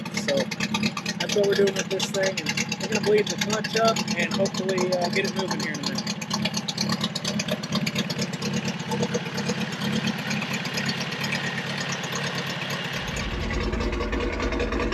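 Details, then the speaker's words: 1979 Toyota first-gen 4x4 pickup's built engine (lower-compression pistons, head work, low-torque cam), first start after sitting about two years, no exhaust fitted: loud, raw open-pipe idle with an uneven, loping beat. It doesn't run like a normal one. "we did a lot of work on the motor it's got a cam in it also no exhaust you can probably hear that for sure"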